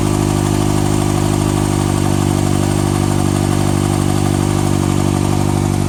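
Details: 2014 Kawasaki ZX-6R ABS, 8000 km (last service at 5.5k), Graves slip-on exhaust: steady idle with fast, light top-end ticking over the exhaust note, cause not yet found.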